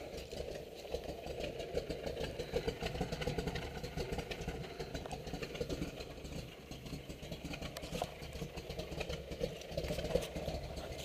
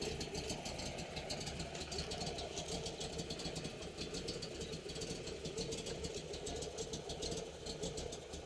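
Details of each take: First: 1969 Camaro Z28 V8 with a big cam at idle: choppy loping idle with deep exhaust burble and slight rattle from a loose exhaust, no knocks; normal cammed idle. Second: 1969 Camaro Z28 tribute V8 with a cam, new clutch: quiet, lumpy idle with a faint, fast metallic buzz on top from a loose exhaust section rattling; otherwise runs and sounds good.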